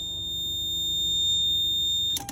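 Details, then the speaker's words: 1999 Lexus GS300 after removing aftermarket alarm wiring, original key in the ignition, dash lights and radio working: a steady high-pitched tone holds for about two seconds and cuts off; a continuous warning beep with no start. "I go to turn it on there goes the dash lights all the radio everything blinker let me take that off and you you see that beep noise now I get that"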